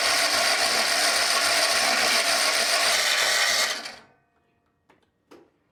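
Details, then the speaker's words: Kawasaki Fs651s mower engine, very high hours, other plug wire undone: steady ratcheting crank about four beats a second, no firing, then stops; the remaining cylinder is dead. "Nothing. Dead cylinder. Okay, so now we know."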